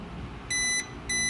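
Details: Consumer-grade stepped-sine-wave UPS unplugged from utility power: two long, high-pitched beeps about a third of a second each, repeating after a short pause, as it switches to battery power.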